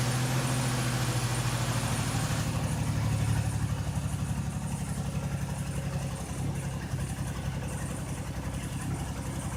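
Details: Buick with leaking intake manifold gaskets, coolant mixed into the oil: lumpy, uneven idle with a stumbling beat and missed pulses, an engine misfire.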